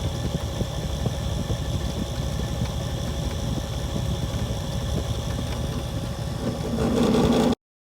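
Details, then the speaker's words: Leslie 825 speaker converted to a DC variable-speed motor, at fast speed; steady motor drone with a fast uneven rattle about four per second, a bad drive pulley vibrating and making the belt flop. "If if you hear that clicking, you can see I have a problem with the drive pulley, which means that I'm going to have to make that drive pulley over again. This is fast speed. Look how much that belt is flopping around just by that little bit of vibration."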